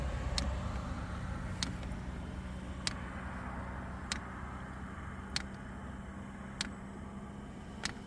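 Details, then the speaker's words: Hcalory 2 kW diesel heater in a 2016 Town and Country minivan: the fuel pump clicks about once a second over a low fan hum; it took eight or nine start cycles to prime the line, the fan still cold; normal. "so that clicking is the fuel pump kicking in which is right there"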